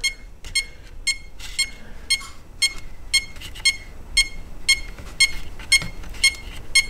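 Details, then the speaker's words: Holmes Hobbies-powered Axial Wraith RC crawler after a hard hit, no throttle: sharp high beeps about twice a second with no motor running, ESC flashing green, orange and red; turned out to be an unplugged wire. "sounds like something's just not plugged in take a look at the ESC here is clear shot of the ESC it is flashing what appears to be the green orange and red like crazy"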